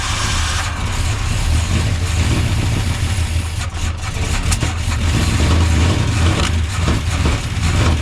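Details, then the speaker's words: 1976 Chevrolet C30 dually, new Gen 6 454 big block with hydraulic roller cam, after carb idle-speed and float adjustment: deep, uneven rumble that sags and surges and will not idle; timing thought too advanced, lifters slightly ticky, possibly needing warm-up. "That might be too advanced. Pull some timing. I'm gonna get a light on here and everything. I'm just trying to get it decent for now. This thing will not idle."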